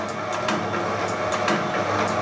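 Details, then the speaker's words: Homemade can crusher and wire cutter sped up to the speed used for cutting wire: smooth steady run with light, evenly spaced ticks several times a second over a thin high whine. Normal running at high speed. "Speed it. So you just speed it up. You probably do it about there, cutting wire."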